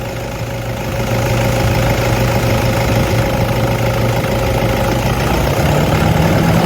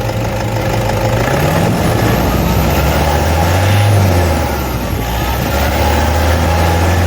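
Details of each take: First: Toyota D4D diesel at steady idle with a constant low whirring hum and faint whine over it, identified as idler pulley noise. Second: Toyota D4D diesel idling with a brief rev, steady even rumble, no squeal or chatter from the belt drive; normal idle.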